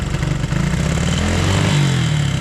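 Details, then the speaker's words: 1975 Honda CB125S barn-find motorcycle showing 1161 miles. Revs rise and sag unevenly with a thin, hollow note before fading out; the owner says it sounds a little lean and thinks it ran out of gas and stalled. "uh-oh oh well i think we run out of gas anyways"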